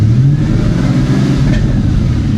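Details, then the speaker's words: Cheap G Wagon, engine stumbles when headlights are turned on; ground wire reconnected per suspected ground issue: steady running whose note briefly sags and falters early, stumble still present, cause unconfirmed. "I had a lot of you notice the other day that uh when I turned my headlights on, the car stumbled and a lot of you said I had a ground issue and I needed to hook up that ground wire."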